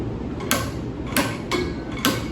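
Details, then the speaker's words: Wanlvkang 10–65 in-lb torque screwdriver with Torx bit, clutch slipping at its set torque: four crisp clicks about half a second apart as the driver stops turning, showing the fastener is up to spec; working normally. "You can see it stops from going up, and you hear that clicking sound, okay? That means it's up to spec, depending on what unit, okay?"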